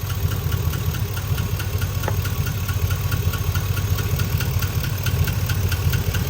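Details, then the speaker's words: High-mileage GMC truck V8 idling warm with a sharp, light tick repeating a few times a second over the rumble; the tick appears once the engine warms and is heard only on the driver side, from a suspected rear lifter. "cuz I definitely don't hear it over here it's it's 100% on this driver side but if any of you guys ever heard ler tick this is this is common especially on these trucks with this many miles"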